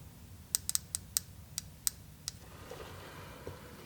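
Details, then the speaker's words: Bench test of a fuel injector from a 2000 Honda VFR 800 during throttle body and injector cleaning: power from the battery applied via alligator clips gives crisp, sharp ticks, about eight, as power is touched on; the injector clicks normally. "hook one up to the injector we'll touch the other one up there and see if it don't click and it does it does click can you hear"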